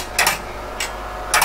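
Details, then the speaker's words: PDP-11/34A vintage computer with RX02 floppy drive, loud fan noise present: three sharp mechanical clatters repeating about every second over a faint hum; drive constantly retrying to boot from floppy. "so as you hear it's trying to constantly boot from floppy drive"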